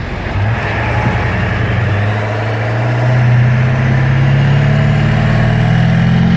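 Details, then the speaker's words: 1997 Ford F-250 Super Duty 7.3L turbo diesel, driven on Boulder Highway after an AMSOIL engine flush and oil change: a deep, even drone climbs smoothly under acceleration with no knocks or rattles, and the driver notes the engine is a lot quieter. Normal running. "The engine is a lot quieter. It is quieter. Wow."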